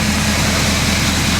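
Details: 2011 Ford F350 6.7 Powerstroke diesel with a replacement engine, running after a shorted fuse was found to be the issue: steady, even diesel clatter at idle with a constant low hum, no misses or knocks. It sounds like a healthy engine.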